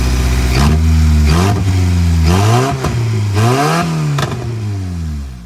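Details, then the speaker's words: Built D16Y8 engine just installed in an EG Civic, first running, open exhaust: loud raw bark rising and falling cleanly through several blips with an even beat; healthy normal revving. "Not bad at all. All right, I'm going go ahead and shut her down. Got it running as you seen."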